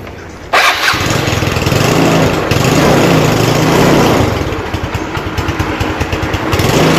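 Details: Motorcycle electric start after reviving a wet battery that had dropped to 10 volts (drained, terminals cleaned); starter catches within a second into a steady idle, clean healthy start.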